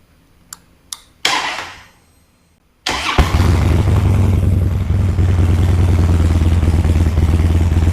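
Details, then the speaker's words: Harley-Davidson Dyna EFI after fuel pump, filters and components rebuild, first start after 9 years sitting: a few pump whirs, quick crank, V-twin catches immediately and settles into steady lumpy idle; normal start and idle. "Look at this. 9 years sitting started like that."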